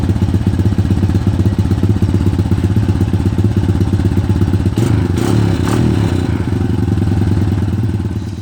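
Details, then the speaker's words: 250EX quad, single cylinder, revived after sitting 10 years: a steady low knock about four per second riding on the firing beat at fast idle, traced by stethoscope to the clutch side rather than the crank bearing as first feared. Clutch knock. "the engines making a knocking noise and I was concerned originally I thought it was a crank bearing and I used a stethoscope and I can tell it's coming from up here which is where the clutch"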